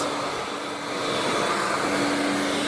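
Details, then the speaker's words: Scrapped vacuum cleaner from the tip, running on high: a steady high motor roar with a thin hum and no beater slap. The brush roll isn't turning; the owner suspects the belt. "Oh, the brush roll's not going. Brush roll's not turning, the belt might have"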